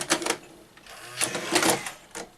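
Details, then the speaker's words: Sanyo VTC-MH5 NTSC Beta Hi-fi VCR before power supply repair: short, hurried whirring bursts as the cassette loads and laces. Loading motor runs too fast; owner suspects an overly high supply voltage line. "I um commented in a previous video on how the cassette loading and the lacing Motors seem to run very fast a lot faster than the other machines with this similar deck"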